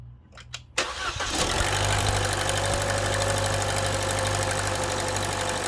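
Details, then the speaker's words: Chevy Cruze with code P1101 and poor idle, after cleaning the mass airflow sensor and resetting the computer, on a cold start: a quick crank, a clean catch, then a steady, even idle with no hunting; a normal cold start. "but this is that cold start as you can see this island very nicely here"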